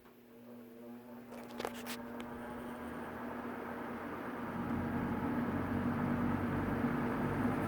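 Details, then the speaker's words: Vintage Servess 3-speed box fan made by Air King, motor possibly a Macmillan (2.7 amps, model S20), full of sawdust, on high speed: hum builds slowly and never reaches full speed; stiff, dry motor bearings needing cleaning and oiling. "And the motor is pretty stiff, so it doesn't run at full speed."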